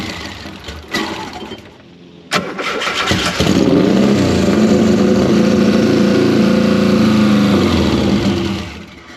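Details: 1973 VW Super Beetle with swapped Subaru engine, idle air control not working, priming pulse off over a suspected leaking injector: cranks, catches, runs unevenly a few seconds, then sags and dies; rough running, can't hold idle.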